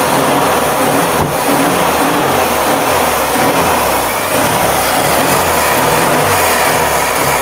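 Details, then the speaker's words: 1957 BMW Isetta with locked engine replaced by a free spare engine, running: steady even beat with no knocks or misses; swapped engine running normally. "we cranked her up so she does run and the story that we were told on is pretty accurate it sounds pretty good"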